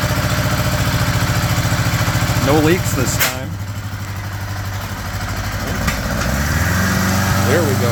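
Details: 1975 Honda GL1000 Gold Wing flat-four, cold start after water pump re-seal with new gaskets and O-rings: smooth, even idle settling a little high on choke, no knocks, rattles or misfires; no leaking, much less smoke.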